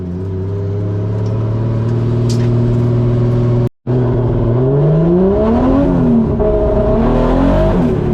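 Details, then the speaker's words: 1JZ-swapped Nissan S14 240SX six-cylinder with a rough, uneven note while revving. Engine misfire caused by water on the spark plugs, fixed by changing the plugs. "It's misfire right now. It's got a misfire."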